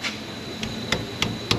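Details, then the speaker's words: Toyota Highlander exhaust tapped after repair (loose heat shield repaired, rear muffler shield replaced): sharp taps land clean and dull, no tinny buzz; heat shield solid, no exhaust rattle. "no rattle very good guys and that's how you repair some exhaust rattles in a toyota highlander"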